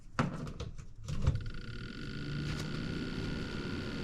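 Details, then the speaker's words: Refrigerator condenser fan after replacing the squeaky condenser fan motor: a few handling clunks, then a steady, even hum with a faint constant tone; new motor running smoothly, normal. "That is sounding so much better. Oh my goodness."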